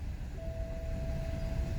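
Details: BMW E70 X5 (2007-2009) with earlier crank-no-start after battery died from sitting a couple of months: low steady engine rumble with faint constant tone, no misses or stumbles; engine catches and idles evenly once circuit is complete.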